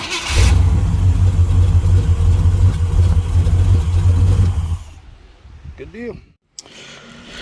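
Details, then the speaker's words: Camaro V8 fitted with a 750 HP carburetor: starts straight up with no pump shot into a deep, steady rumble with no stumble or hesitation, then settles down; starting and running cleanly. "Here's your uh 750 HP I got on the Camaro. She should have fire up. No pump shot, nothing."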